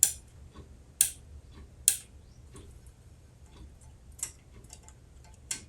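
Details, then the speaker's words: Rock-Ola 449 jukebox popularity meter being repaired, where the write-in hammer slaps the ring to advance it a click: sharp single clicks at uneven gaps, the first crisp, later ones softer, as some positions are not catching tightly. "See, these aren't as tight as that one's tight. That's tight. So basically, from what I'm seeing is it needs to click."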